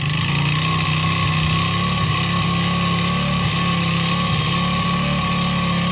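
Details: 139QMB 50cc scooter engine idling with a deliberately over-clearanced piston: skirt shortened with an angle grinder and cylinder worn with sandpaper. Hollow, rattly piston slap on the low beat, run for about two hours until out of fuel.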